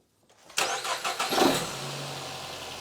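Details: Nissan X-Trail T31 with cylinder 3 misfire (P0303) from a coil arcing high voltage to the head, after insulating the coil with tape: quick crank and catch, short flare, then quiet even idle with no stumble; misfire gone.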